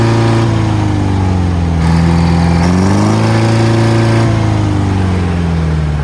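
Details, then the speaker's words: Old Detroit diesel on a rock crusher plant, first start in 3.5–4 years after a starter solenoid repair: fired right up, briefly seemed to run away, then a steady, even drone rising and settling smoothly with throttle, no knocks or misses; normal running. "Woo. That was going to run away on me there. Fired right up. I thought it was going to run away for a second."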